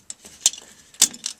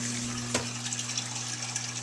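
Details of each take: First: Whirlpool Duet Sport washer WFW9150 with F9 E1 no-drain error: pump hummed but impeller was jammed; after bailing water, turning the impeller by hand gives sharp irregular clinks from loose debris, maybe a rock, caught in the drain pump. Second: Whirlpool Duet Sport WFW9150 washer, after repair of a jammed drain pump (F9 E1 error, broken piece removed from the impeller): steady low pump hum under rushing water, no grinding or rattle, discharging into the drain pipe; normal drain pump operation.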